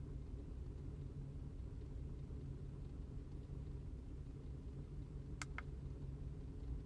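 Uneven low idle with an irregular stumble and shake in the rhythm, no steady beat; misfiring rough idle, cause not yet pinned down.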